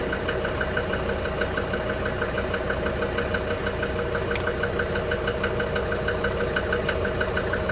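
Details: DB29 diesel at idle, foam in fuel and small bubbles in return line after about 3 minutes, not purging: sharp even ticking about three per second over steady idle; injector knock.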